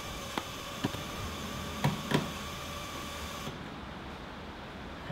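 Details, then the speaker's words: Classic Porsche 911 under restoration, wiring connected: faint, steady electrical hum with a few handling clicks, cutting out abruptly; the owner suspects a fan control, later traced to one fuse that shows current draw not getting through. "I'm not sure if you can hear that, but there sounds like a fan control or something is making an awful noise."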